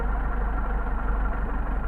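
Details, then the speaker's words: Mercedes 190SL rebuilt Solex carburetors, idle at six hundred and change rpm on tachometer, mixture screw turned to degrade idle: low, faintly loping idle that sags; rough idle from incorrect mixture setting. "right now we're at six and change so let's say we degrade the idle keep starting to drop"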